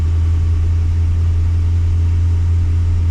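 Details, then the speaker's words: Holden VX SS Commodore with a freshly rebuilt 4L60E automatic, in drive, foot on brake, wheels stopped, idle about 600 rpm (too low, tune needed): a steady, even low drone with no whine, clunk or flare; the transmission sounds healthy. "okay that's in drive with my foot on the brake wheels are not spinning RPM is pretty low maybe at 600 RPM needs to be higher"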